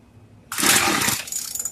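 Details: Craftsman two-stroke weedeater, stored after six months' use and stopped running, after priming, set on 2: a sudden raspy sputter catches after the pull, then fades and dies within about a second; hard starting, won't stay running.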